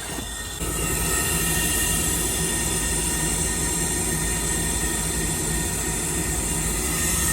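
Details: 2002 Trane gas pack with no heat, short cycling, four-flash high limit open: steady high-pitched squeal over a constant motor whir from a failing inducer motor, likely bearings; blower motor also bad.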